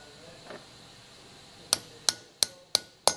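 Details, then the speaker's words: Engine rebuild, fitting valve stem seals with a socket and a little oil: five sharp taps, the last duller and deeper, showing the stem seal has bottomed and seated properly. "place it over the top with a little bit of oil you hear that different tone and that tells you it's seated properly"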